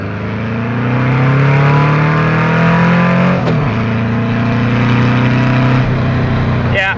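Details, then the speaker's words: Engine on 44 IDF carburettors (118 main jets, 185 air correctors) pulls hard but goes flat around 4,500–5,000 rpm. It is running lean, so the main jets will be increased. "she's a little flat she's totally flat up at the uh around five thousand forty five to five thousand she's flat"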